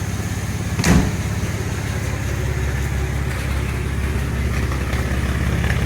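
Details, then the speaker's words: 1948 Dodge Custom Sedan, flathead six, Fish carburetor, new "shotgun" dual exhaust with baffles wrapped in exhaust mat as silencers: smooth, even low rumble at idle; the earlier tick at the exhaust pad is gone. "got a little [Music] Rumble definitely took that little tick away at the exhaust pad when it was idling"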